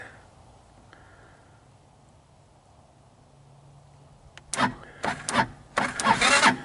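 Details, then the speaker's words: 2014 Linhai Big Horn 400 UTV that pinged, then died: carburetor inspected and found clean. Cranking without choke gives bursts with a few uneven brief catches that die away, so no start. Spark later appeared to be lost; new plug and portable 12V CDI got it running. "let's try it without choke to begin well seems like it uh seems like I had something and then it uh I lost it"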